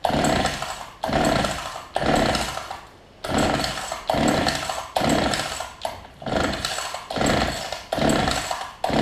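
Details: Older Homelite two-stroke hedge trimmer after new fuel lines and primer bulb, 40:1 fuel mix: revs up and drops back about once a second, catching cleanly; runs fine, carb still to be tuned.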